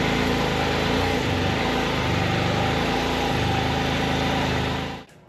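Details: Can-Am Spyder RT being repaired in a cold tent in Michigan: the engine idles steadily with quick uneven puffing, roughly four beats a second, and a raspy edge from the pipe. An exhaust leak.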